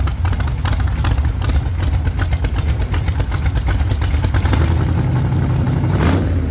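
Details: 1948 Chevy Fleetline small-block Chevy V8, 4-speed, after a fix for push rods breaking on the first burnouts: loud, lumpy V8 roar held at high revs through open headers in a test burnout, even firing, no tapping or clatter, healthy.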